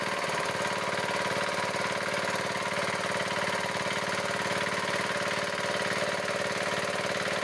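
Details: Diesel engine, idling after the loose rocker adjusting nut that caused phok-phok noise through the air cleaner and white smoke was reset. Steady, even idle at about four beats a second, with no chuffing or tapping; it runs smoothly and the repair succeeded.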